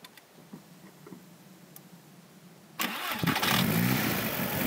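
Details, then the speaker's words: 2002 VW Jetta 1.8T with straight-pipe exhaust, right after diverter valve replacement (it had run rough, lost power and stalled): it cranks, catches and settles into a steady idle with blips and some exhaust backfiring. It sounds much better. "Here, it sounds a lot better, except for the backfiring from my straight pipe exhaust. Sounds like it should run."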